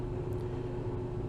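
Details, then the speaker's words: Replacement fume hood exhaust blower running after swapping out the old unit: low, even hum with a faint steady tone, no rattle or scraping, noticeably quieter than the old fume hood; normal fan running. "You may be able to tell that there's a remarkable sound difference from the old fume hood."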